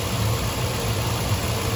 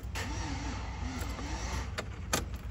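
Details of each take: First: 2004 Chevy Tahoe that would not start (suspected fuel pump/no fuel), finally started flooded with throttle held wide open, fuel pressure 40–45: steady, even low idle with a smooth, unchanging rumble, no misses or knocks; now running fine. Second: 2004 Chevy Tahoe no-start, reportedly not getting fuel, with the scan tool showing Passlock and ignition states: heavy, dragging, uneven slow cranking without starting. Engine feels tight or short of current; an aftermarket alarm is suspected, unconfirmed.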